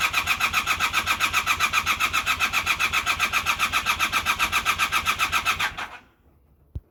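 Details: Honda Super Dream motorcycle: steady starter cranking about four beats a second for nearly six seconds, never firing, then silence; cranks but won't start.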